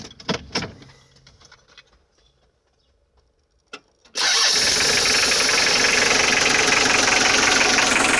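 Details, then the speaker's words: Unexplained engine knock: a few quiet knocks, then the engine catches and settles into a fast idle with an even tapping of roughly four per second; it sounds like rod knock, but the owner inspected the rods and rules them out. "А так его слышно отсюда. Стук похож на шатунный, но это не шатунный нифига, потому что шатуны я себе скрывал, смотрел."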